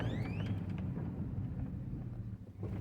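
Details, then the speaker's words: 2005 Chevrolet Silverado after new wheel bearing fitted: steady road rumble and a short drivetrain whine while braking, no grinding; pedal no longer kicks back and the earlier brake noise is gone. Normal braking. "nada que ver ya no me regresa el pedal y ya no se escucha ruido"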